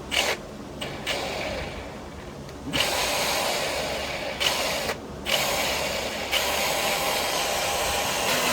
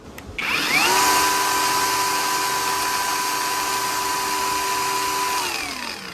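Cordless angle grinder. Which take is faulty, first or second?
first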